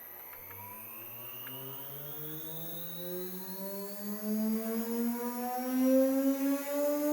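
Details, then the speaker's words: Normal spindle run-up on a MERMAK/Probotsan Multi-Mex CNC router, with the vacuum pump and dust extraction also running. A clean whine climbs smoothly to maximum spindle speed with no roughness or rattle; the loud vacuum pump (blower) is a separate noise. "spindle makine spindle maksimum seviyede çıkardığı ses bu aynı zamanda vakumun çalıştığını düşünün aynı zamanda toz emme çalıştığını"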